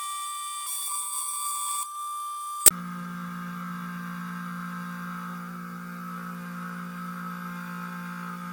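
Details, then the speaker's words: Two Trees TTC 450 Pro CNC milling a bas-relief: steady low drone with high spindle tone while cutting; the spindle motor cover vibrates and buzzes, a minor issue. "J'ai remarqué que le capot du moteur vibre et fait du bruit pendant l'usinage, mais c'est un problème mineur"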